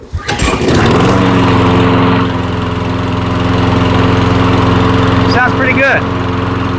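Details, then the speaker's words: Mower that sat all winter, after cleaning the carburetor jets, sound deadening removed: catches on first pull and settles into a smooth, even, steady drone with no stumbles or surging. "nice and smooth and the wheels and the wheels we worked on on a different on a different video they sound good too"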